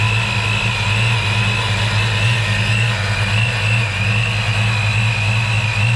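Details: 1993 Ford Mustang Saleen SA10 chassis, supercharged, after new fan clutch, MSD coil and supercharger belt: smooth steady engine note, fan roar gone; running cleanly, normal.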